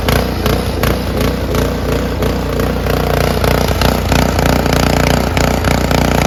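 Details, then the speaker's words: After ultrasonic cleaning of the varnished, clogged carburettor, a curb-find Honda HS520 single-stage 4-stroke snowblower runs evenly: a small single-cylinder putter with no misses, surging or rattles. Normal, healthy running after the repair. "But this thing runs great and it looks great now."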